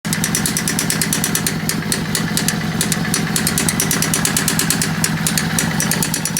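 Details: Yamaha V-Star 650 V-twin motorcycle: loud, uneven idle with a rough ragged beat and clatter over the exhaust; really bad engine sound, cause not determined.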